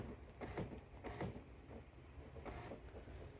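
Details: HP Smart Tank 617/517 printer: quiet whir broken by uneven knocks roughly every half second to second as the print carriage slams against an obstruction; panel reports the carriage cannot move, check for a jam.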